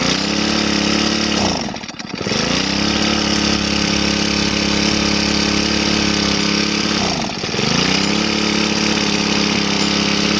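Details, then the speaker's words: Grass trimmer run until its tank was empty, then refilled: high steady revs sag twice about five seconds apart, then recover. It hesitates on throttle from air in the fuel system blocking fuel delivery. "ahเวลาเราเร่งไปมันดับนะครับเพราะว่ามันมีอากาศในระบบมันนะครับมันก็จะทำให้ให้ช่วงที่มีอากาศมันก็จะไม่น้ำมันก็จะไม่จ่ายเข้าก็เล็กไม่ขึ้นนะครับ"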